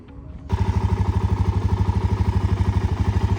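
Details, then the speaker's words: Suzuki LTZ 400 quad, believed to be a 2007, bought as a flip and said to have been rolled: a crisp start, then an even idle thump with no ticking, valve noise or cam chain rattle; normal, quiet idle. "she definitely runs good everything works lights work nice and quiet definitely don't hear that uh no ticking no Val noise no camchain"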